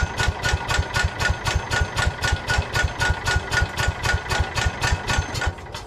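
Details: Old Cub Cadet garden tractor, 10 hp Kohler engine, carb cleaned, fresh unleaded fuel: steady even cranking thumps about four a second, never catching; cranks but won't fire.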